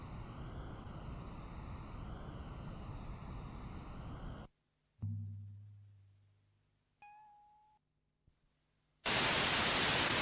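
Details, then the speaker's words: Cassette tape playback, reverse side, after fast-forward and rewind on another deck: tone wobbles up and down in pitch every second or so under hiss; wow and flutter from sticky tape. "this one not only looks very different it sounds very different the other one was only wrong on the levels really this one is very wrong in a way that um well have a listen"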